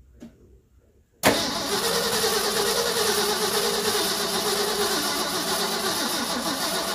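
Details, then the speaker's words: 1974 Ford F-250 High Boy 4x4, sitting for years, possibly 20+: starter engages and the engine cranks slowly, about three labored beats a second, never catching. Starter and solenoid work but the battery is weak, and there seems to be little or no fuel. "The engine's turning over, so that means our starter's working, solenoid's working, all those fun things, but that battery is not as good as I thought it was, so I'm gonna get another one."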